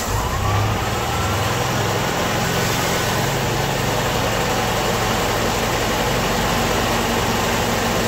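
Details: Ford-built M151A2 military jeep, 141.5 cubic inch engine, stored 20 years, left running to break in after earlier rattle faded: steady even idle, low rumble, no knocks; lifters suspected earlier bled down; appears to be charging.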